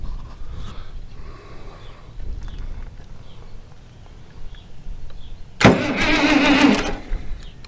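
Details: International Harvester 1086 diesel tractor, fire-damaged and sitting for years, fluid outlets capped, on old battery cables, cranked with throttle: quiet, then about one second of starter cranking; it turns over but never fires. Owner suspects air in injector lines.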